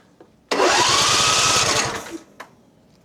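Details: John Deere Z355E zero-turn mower with 581 hours, long stored and dusty, fresh battery fitted, tank empty. The starter whirs steadily for about 1.5 s, turning the engine but never firing. Crank, no start; a broken governor gear was later found.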